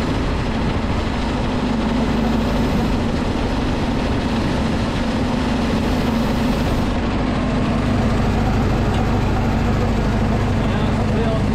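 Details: Homemade gas air compressor with Predator 212 engine and pilot unloader valve: steady drone, then the pitch shifts near the end as air is let out and the unloader cycles, throttle kicked up and down by hand for now.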